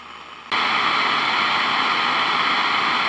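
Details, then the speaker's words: Zenith Transoceanic radio tuned at top of AM broadcast band, swapping real 1L6 vacuum tube for solid-state replacement: quiet background jumps to loud steady hiss, raising noise floor above about 1 MHz; excessive background hiss. "so what I'm going to do is I'm going to T I'm going to tune right here so listen to the noise floor right there now I'm going to change to the solid state 1"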